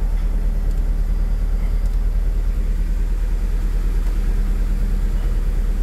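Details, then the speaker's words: Mitsubishi Cedia 4G15 GDI, started cold: deep, lumpy idle pulsing about three times a second with uneven beats; mechanic suspects one cylinder not firing, not confirmed. "probablemente hay un cilindro que no trabaja vamos a ver qué cilindro"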